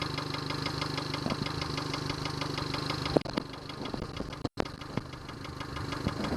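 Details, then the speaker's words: Yamaha 70 hp outboard idling unevenly with loose, irregular knocks over the hum; fuel starvation because a Honda fuel line connector was used instead of the Yamaha connector. "There's some knocking sound. I don't like that. Some knocking sound. Remote control, there's no alarm. Well, there's some knocking sound that you can hear."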